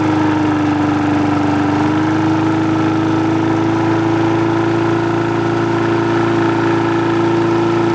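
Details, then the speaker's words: Free push mower that wouldn't start, after the carb was cleaned, its diaphragm and gasket replaced and a spring replaced: a smooth drone, easing up slightly as spring tension raises the RPM, then holding steady with no stumbles or knocks; running healthy. "all right guys so there you go it's uh running good there i was just kind of adjusting the rpm by increasing the tension on these springs by just pulling the levers right here and right here"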